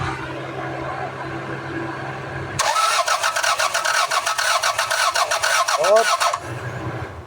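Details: Toyota Corolla (Corona), manual transmission, probably a 1996 model: the starter cranks steadily for about four seconds but the engine never fires; troubleshooting found no power supply, traced to the computer box.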